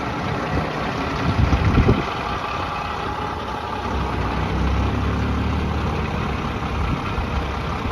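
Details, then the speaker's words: 1994 Pierce fire engine started, recently driven 30–50 miles: steady low diesel idle rumble, no knocks or misses, even heavy beat; runs really well. "Let me fire it up. Runs really well."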